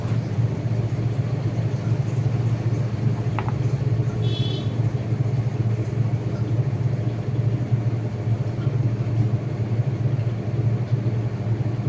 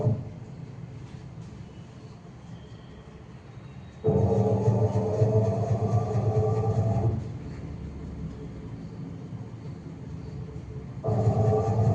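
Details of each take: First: IFB 8.5 kg top-load washing machine on spin after repair: steady, even low hum with no knocking or scraping; running completely normal. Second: IFB 8.5 kg top-load washing machine on spin, customer complaint of loud spin noise: loud rumbling bursts with a rising drone coming and going, pointing to a drum working loose on its shaft nut.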